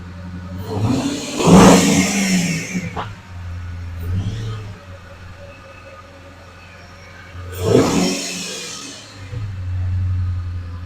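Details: Flood-damaged 2010 Dodge Challenger SRT8, 6-speed manual, about 58,000 miles, first start; deep, even idle with two sharp throttle blips that rev cleanly and settle straight back, engine sounds healthy.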